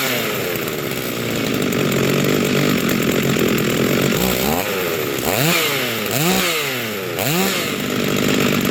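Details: Rebuilt vintage Stihl 036 chainsaw with aftermarket Meteor piston and cylinder, new crank bearings and seals, new muffler and clutch, rebuilt OEM carb; first run, strong steady scream then crisp blips revving freely and returning cleanly; healthy.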